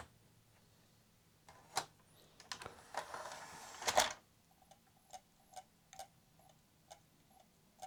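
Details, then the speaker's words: Modded Sony PlayStation 2 optical drive, whose mod may kill the DVD laser, with a disc inserted: sharp, light ticks about twice a second over near silence, with no spin-up hum. The drive keeps seeking and reports it is unable to read the disc. "doesn't sound healthy though oh yeah unable to read disk"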